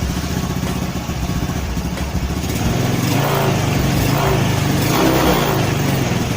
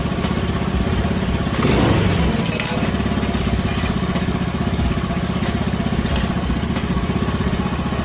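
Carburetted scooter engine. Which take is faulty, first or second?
first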